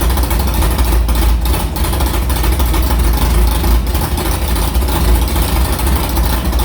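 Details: Carbureted V8 hot rod with a Prosystems carb whose idle air bleeds were changed from .070 to .055 after a track carb issue, fired up quickly on an ~80°F day; deep, lumpy, steady loping idle without stumbling, a healthy normal idle.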